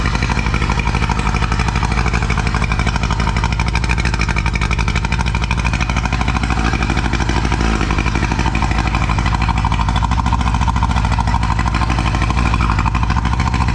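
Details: Old two-stroke outboard on a roughly 5 m tinny, not run in about 8–10 years, running in neutral; loud even buzz holding steady speed with no misses or stumbles; running smoothly.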